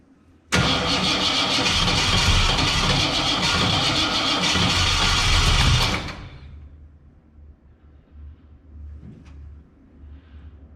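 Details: 1967 Ford Fairlane, first start in 7 years, gas poured on the carb: starter spins steadily about five seconds with occasional puffs of firing but no catch. Fuel and spark confirmed present, and the owner suspects ignition timing is way off.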